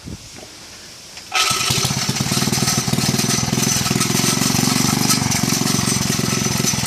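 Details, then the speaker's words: Villiers C12A engine, about 1960s, with a simple governor and choke off: it fires and settles into a fast, harsh, tinny metallic clatter; owner suspects the flywheel or its loose guard is hitting the metal guarding. "I think the flywheel or the guard for it is hitting the metal guarding. Sounds a bit nasty."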